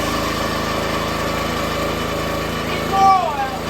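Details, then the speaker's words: Brand-new minibike single-cylinder engine, about 2 minutes of run time, on its first start after repowering a $200 log splitter: steady, even drone, no misses or knocks, no leaks; runs well. "She splits good. She runs good."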